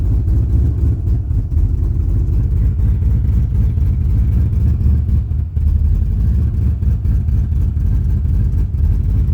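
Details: 1993 Chevy 1500: deep, heavy idle with an uneven, lumpy beat and occasional dips in rhythm; rough idle, cause unknown.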